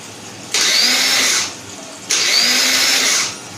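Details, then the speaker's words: 2010 Yamaha Jupiter Z Robot, new battery at 13.0 V, ignition on: two high one-second whirring bursts, engine never turns over; electric starter motor spins freely but does not engage, so it will be taken apart. "Apa dinamo starternya muter, tapi kayak ada yang nggak nyangkut gitu, kayak nggak nyangkut aja."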